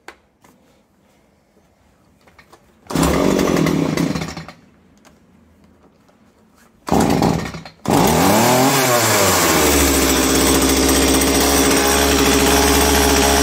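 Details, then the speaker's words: STIHL MS170C chainsaw, brought in for not starting and a leaking oil tank melted by catalytic exhaust heat, started properly with the choke before any repair: catches briefly and dies, then fires on the next pull and settles into a steady high buzz, running fine. "Bueno, pues parece que la máquina va. Si solamente era eso, menudo vídeo de mierda que vamos a hacer, ¿no?"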